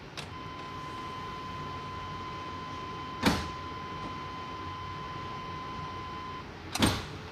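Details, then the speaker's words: 2000 Chevy crew cab dually, first start after nearly five years sitting, fuel pump relay bypassed with jumper: key on gives a click, steady electric hum for about six seconds, then click; fuel pump priming normally. "i'm going to turn the key on and off a couple of times to prime the fuel system and then just double check make sure i don't have any leaks down at the fuel filter you can hear the fuel pump now one more time"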